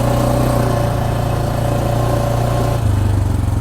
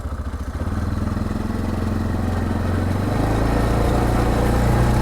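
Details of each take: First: 2024 Massimo MSA 550 ATV, almost 500cc Linhai gas engine: steady engine drone under acceleration with a sudden knock and change of note as it shifts; transmission clicks and knocks, jerking on each acceleration. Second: 2024 Massimo MSA 550 ATV, nearly 500cc Linhai gas engine with CVT, pulling away in high range: engine note climbs in one smooth sweep, no clicks or gear-shift steps, smoother than the Honda; CVT working properly.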